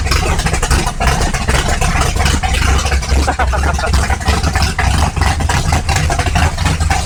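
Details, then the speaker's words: 1955 Chevrolet big-block V8, borrowed battery, about 32° timing, belt a little loose: deep even rumble with steady firing, no knocks or misses; normal running. "belts a little loose so it's got about 32° of timing in it it sounds"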